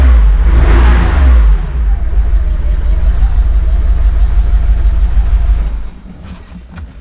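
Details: 1985 Porsche 911 Cabriolet running after new crank/speed sensors, plug leads, spark plugs and distributor cap; deep strong roar rising on throttle then settling evenly, no knocks or misses.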